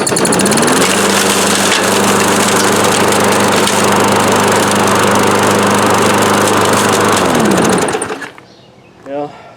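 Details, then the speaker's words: Free older Craftsman Platinum EZ Walk self-propelled mower with a Briggs & Stratton engine (7 ft-lb gross torque), run status unknown, starts once the bar is held down: steady, even drone, no misfires or hunting, clean shutdown; normal running. "Heard the blue got this for free and it actually works."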